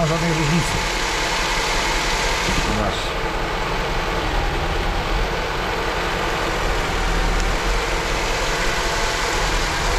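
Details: Honda after replacing injectors, injector and its supply checked: uneven lumpy idle with a low thump dropping out regularly; cylinder two still not firing, lowering idle speed; cause still unknown.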